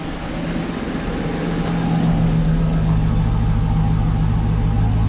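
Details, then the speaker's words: Chevrolet Caprice/Impala LT1 V8 at steady, even idle after replacing a cracked #8 rear spark plug and installing new gapped plugs; misfire seemingly gone, no stumble, sounds better than ever; slight exhaust leak noted. "I think the misfire is finally gone y'all I don't want to speak too soon too so it might start going that sounds pretty good that might sound better than I've ever heard it"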